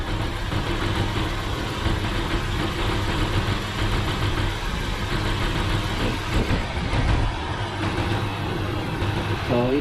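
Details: Radiator cooling fan back on low speed after a faulty five-pin relay was fixed, which had caused overheating at idle; steady, even whoosh over a smooth idle, the fan working normally.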